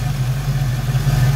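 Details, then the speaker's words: 1990 Ford Mustang GT Foxbody V8 with GT40 intakes and new Alloyworks 4-core radiator, still cool, idling to warm up; deep smooth even low rumble with no ticks, misses or hunting. Normal idle. "and here we go see yeah it's still pretty cool we'll let it idle for a bit"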